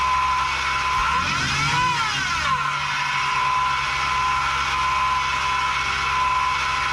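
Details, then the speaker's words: 2019 Ram Rebel V6, recorded in the cabin while driving: thin steady supercharger-like whine above road noise, louder and worse on acceleration or downshift; owner suspects a bad pulley bearing, idler pulley or loose tensioner, before dealership repair. "my engine actually sounds the best way to describe it would be like a supercharger so listen up let me know what you think"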